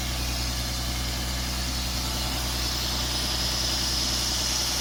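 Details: 1996 BMW E36 328i six-cylinder idling right after a new MAF sensor was fitted: smooth, even idle with a faint steady hiss on top, no misses or stumbles; running much better with the new MAF.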